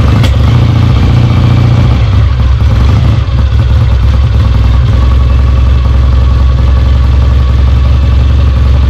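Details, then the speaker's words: Kawasaki W1 motorcycle, first start after rebuild, idle and mixture not yet adjusted, oil pump lines confirmed flowing: deep loud twin thump at fast idle, a bit lumpy and uneven but running steadily. Runs; needs carb tuning. "all right it runs all right"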